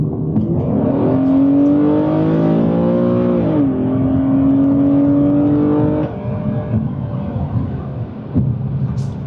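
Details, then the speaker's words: Infiniti G37 on first drive after repair and transmission fluid service, Drive sport mode, hard throttle: revs climb smoothly, clean upshift near four seconds, even pull, no warning lights, normal temperature; healthy engine and gearbox. "I would say that's a working engine to me if I don't say so myself drives good no warning lights temp is nice and good"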